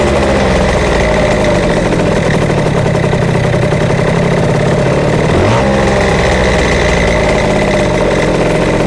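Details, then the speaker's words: Yamaha Jog CE50 70cc two-stroke scooter with a rebuilt motor: after a blip the revs hang and drift slowly down to idle; it bogs when ridden, no vacuum leaks found, and the owner suspects lean running. "Just the way it hangs at idle and doesn't come down straight away."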